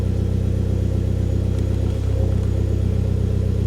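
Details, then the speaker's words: Hyundai Genesis Coupe automatic, just after a new fuel pump install; a slight high squeal heard at key-on is now gone: smooth, steady idle with an even low pulse, no squeal or whine. The pump is working, fuel gauge reads correctly, no leaks. "Sounds like it's working."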